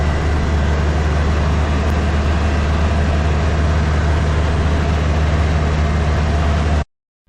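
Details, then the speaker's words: 2009 Polaris Ranger driving after drive shaft repair: steady, smooth low drone with none of the clanking, banging or popping heard for years before the fix. "I can tell you already just backing it out of the garage, it's uh better. the uh you don't hear the drive shaft clanking. It's been clanking for years, actually."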